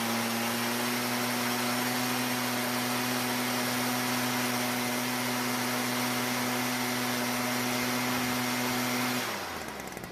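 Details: Stihl backpack blower bought as a non-starter, after the carburetor H screw turned a quarter turn richer: steady high-pitched two-stroke drone that holds even without surging, then cuts off; running normally.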